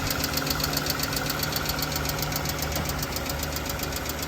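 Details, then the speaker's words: Toyota Camry 2AZ-FE 2.4L petrol engine idling with a quick, steady light tick-tick from the top of the engine, typical of worn valve tappets; more evident when accelerator is blipped. "गाड़ी को start किया तो आवाज आना शुरू हो गई है टिक-टिक की आवाज है तो फ्रेंड्स है वह जगह इंजन की ऊपर वाली साइड से ही आती है"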